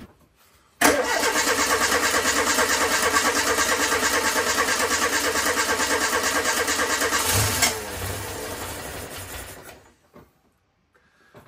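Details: Renault Super 5 after a year and a half of restoration: engine catches first try and holds a steady, even beat for several seconds before shutting off; normal start and run.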